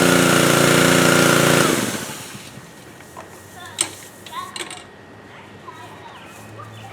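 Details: Pressure washer where the motor ran but the pump didn't, a fairly new and little-used unit. Typically caused by air in the lines; O-rings were checked. After the fix the engine runs smooth and even briefly, then winds down: running normally.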